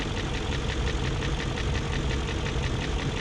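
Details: 2001 BMW E38 740i idling after Vanos units rebuilt, Vanos distributors and intake cam-end gaskets replaced: fast even light ticking over steady idle, not fading; lifters checked, plugs tight, no codes, top-end tick source still not pinned down.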